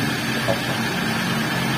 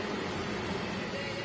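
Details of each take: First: Older Toyota Avanza after replacing the center bearing and refitting the propeller shaft, which had caused rumbling at high speed: steady, smooth driveline whir with no rumble or grinding; the rough noise is gone. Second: Toyota Avanza at high speed, after all four wheel bearings had already been replaced: a steady low droning rumble fills the cabin, not coming from the wheel bearings.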